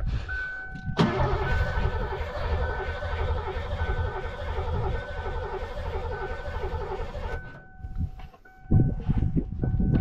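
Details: 1987 Mustang GT convertible, sat 25 years in the Florida sun, on a weak or assisted battery after brake cleaner was sprayed in. It cranks evenly for about six seconds with a dash chime but never fires: crank, no start.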